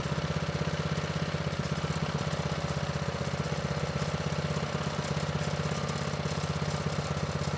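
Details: Manco Streaker vintage mini bike with Predator 212 (6.5 hp), drive disconnected, after raising low idle: quick even single-cylinder putter at steady speed, no misses or knocks; normal idle.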